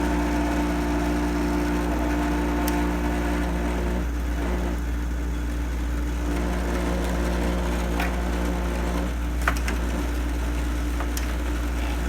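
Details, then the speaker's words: Goldstar window air conditioner running: loud, steady low hum and buzz with occasional rattles and ticks; sounds rough but still works, cause unclear. "okay that sounds horrible but yeah it's working it is working"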